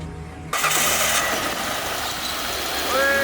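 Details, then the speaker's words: 2004/2005 Mitsubishi Pajero that wouldn't start because of a dead battery, first start after fitting a new battery: brief strong cranking under a second, then a steady, even idle; normal engine start. "That sounds like a a Pajarro that started to me. I think it's good."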